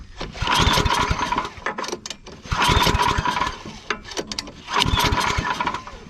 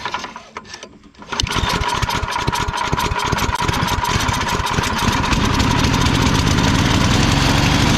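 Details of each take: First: Yard Machines/MTD snow blower, recoil cord just replaced: three rhythmic pull-start bursts about two seconds apart, turning over but never catching; cranks without starting, engine not yet primed. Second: Free Craigslist Yard Man/MTD snow blower after recoil cord restring, primed and pull-started: engine catches after a second and settles into a steady, even popping idle at about four beats a second; recoil works, healthy normal idle.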